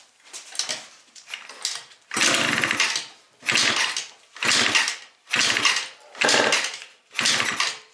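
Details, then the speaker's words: Yamaha Vino scooter, small two-stroke freshly fitted with a cheap 70cc big bore kit, carb, new plug, coil wire and V8-style exhaust, first start: raspy spitting bursts when blipped; major exhaust leak, later fixed by swapping the exhaust gasket. "Huh? Major major exhaust leak, but it fired up. So, we got to fix that exhaust leak though."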